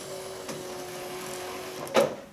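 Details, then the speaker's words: Power antenna motor on a 1995-1999 Nissan Maxima after mast replacement, radio switched on: faint steady motor hum for about two seconds, then a soft clunk as it stops; antenna extends fully and motor shuts off normally. "okay go ahead and turn the antenna or the radio on okay it's coming up that's a good sign"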